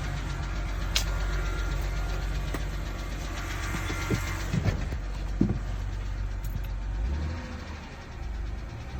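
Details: BMW 328ix engine running: rough, uneven deep knock over the rumble with a few sharp clacks; owner suspects rod knock, cause not confirmed.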